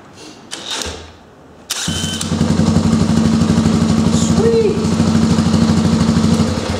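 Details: Honda 350X small engine spun by a homemade dog-clutch drill starter drive, drill in second gear rated 1300 rpm: after a short pause the engine turns over steadily with even chuffs about three per second. Cranking is normal and healthy.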